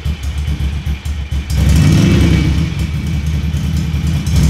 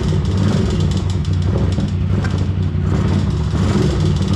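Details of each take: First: Ducati Monster 750 after engine removal and refit, exhaust silencers reinstalled: deep, even V-twin burble with throttle blips, no knocking; the previous engine knock is gone, no oil in the exhaust, and smoke is only copper grease on the exhaust studs. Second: Ducati Monster 750 V-twin before engine removal: heavy, uneven clattering over a deep throbbing rumble as it revs; engine knock, cause not yet found.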